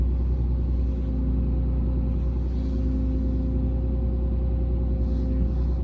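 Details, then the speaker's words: 2017 Ram 2500 6.7 diesel, about 84,000 miles, at idle: faint constant whine, grind and vibrating buzz heard inside the cab by the brake pedal, not at the engine; cause was the power steering pressure hose from hydroboost to pump, replaced. "Been dealing with some whining, kind of a grind, kind of like a vibrating noise. It's only on the interior of my truck, not on the exterior."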